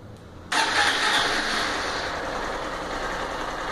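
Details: Honda CG Start 160 motorcycle: the engine fires and settles into a steady idle with a faint quick ticking on top. The dealer judged it normal fuel-injection noise.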